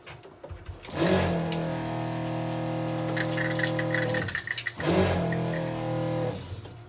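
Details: Newly fitted Johnson 40 psi, 16 L/min fresh water pump running in a boat bilge, recorded on a phone; loud, steady droning buzz with an underlying hum in two bursts; it works without leaking but is far noisier than the old pump.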